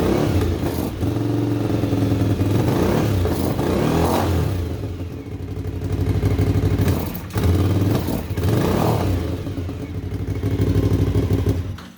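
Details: 1998 Suzuki TL1000R V-twin revived after sitting 15 years, fresh oil and water as coolant, stationary: clean rev swells catching and dropping back crisply, no misses; engine healthy, some wiring issues remain.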